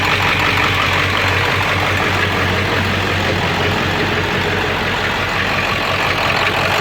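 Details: 7.3 diesel rough runner with no power, after high idle and street mode, going to bypass: loose irregular knock about three per second, owner says sounds like rod knock; raw-diesel puffing smoke, EGTs good, owner stumped.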